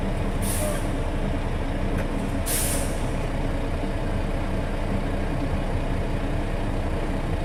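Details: International truck at steady diesel idle during air brake inspection; after governor cut-in (within 30 psi of cut-out) the compressor loads and builds tank pressure with a couple of short air hisses; normal air compressor recharge.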